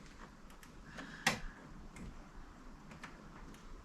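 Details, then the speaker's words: BMW E9 3.0 CSi barn find, stood 20+ years, water pipes cut away to reach the starter. One sharp click then near silence, no cranking; the starter isn't turning the engine, cause not found. "absolutely nothing it is cranking it does the crank position it just doesn't crank the car"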